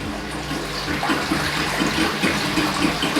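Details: Aiper cordless robotic pool cleaner running submerged in a clean bathtub; steady watery churn with faint pump hum, no stalling, pumping normally.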